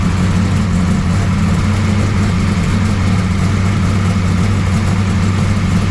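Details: 1969 Camaro pro street V8 after Holley carburetor rebuild; deep, even lope with steady low rumble, no misfires or knocks; runs pretty good, valve lash still to check.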